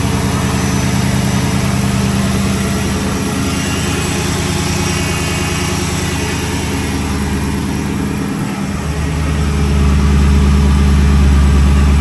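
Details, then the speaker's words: 2006-10 Dodge Charger 5.7 HEMI V8 after new water pump, timing cover gasket, radiator and tensioner: deep, even idle, speed shifting once then steady, no ticks, knocks, whines or leaks; normal idle. "No leaks. Everything looks good. Everything sounds good."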